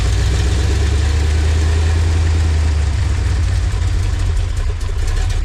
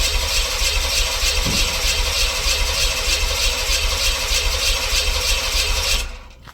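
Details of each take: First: LT1 V8-swapped Jeep YJ, repaired after a no-spark, no-charge breakdown: deep steady rumble with a smooth even beat, no misses or knocking; healthy idle. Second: LT1 V8-swapped Jeep YJ cranks about six seconds with an uneven chug but won't catch; spark and compression present, runs on starting fluid, fuel pump heard kicking on; owner suspects fuel delivery or fuel pump, not confirmed.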